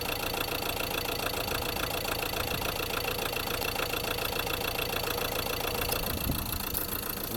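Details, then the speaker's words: Ford Transit Custom Mk7 long-wheelbase diesel at idle; uneven lumpy clatter, rough idle of unknown cause, also over-revving and poor running, with an oil leak and an improperly seated oil cap. "it basically running it's not running the best"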